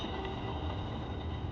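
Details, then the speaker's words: AC compressor clutch pulley removed and spun by hand, refrigerant left in; dry, gritty rumble where it should spin silently; worn AC compressor clutch pulley bearing, to be replaced. "The bearing is too noisy, and that is what we want to replace. You shouldn't hear any noise when you spin this, put it like this."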